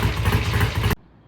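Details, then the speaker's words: 1968 BSA A65 twin motorcycle started with a tickle of the carb and a little throttle before a test ride after repairs: a brief, even, thumping idle with regular firing pulses, sounding healthy. "all right that thing sounds good uh Kevin's going to take it outside and go up and down about a mile and a half in our our local area of pest"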